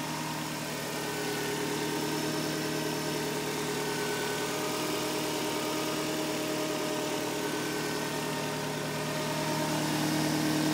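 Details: 2004 Nissan Sentra SPEC-V, 125,000 miles on body, 15,000 on rebuilt motor: thin steady whine over even idle, climbing as revs rise near the end; cause turned out to be a bad alternator.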